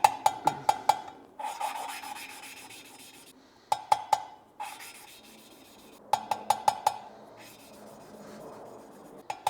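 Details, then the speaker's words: BMW 335i N54 head rebuild, valve spun by hand with suction cup and lapping compound: light swishing rubs and metallic taps, the low-pitch grinding gone once the valve seat has lapped in. "and now when I'm gonna spin it with my hands, you will hear low pitch grinding sound. And you can hear it changes tone. Now it doesn't have that sound anymore."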